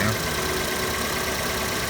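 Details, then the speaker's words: 2016 Fiat 500 after crash repair, belt refitted and coolant topped up; steady, even idle with no catching or rattling from the front, the aircon pump noise now stopped. Normal idle. "Let's flick the engine and see what it sounds like. Oh, that's better. The aircon pump's completely stopped now."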